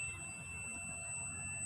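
A steady, clean high-pitched tone holds with no break: the continuity buzzer sounds normally with the probe leads touched together.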